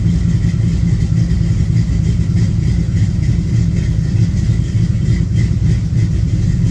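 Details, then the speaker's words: V8 on a cold day about 47°F, warming up at idle: loud, low V8 idle with uneven stumbling beat and dropped pulses; still missing, maybe worse now; cause not confirmed. "does still sound like it's [Music] missing actually it sounds like it might be missing worse now"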